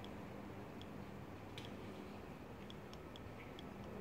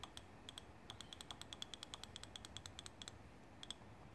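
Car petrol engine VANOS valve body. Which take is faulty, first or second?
first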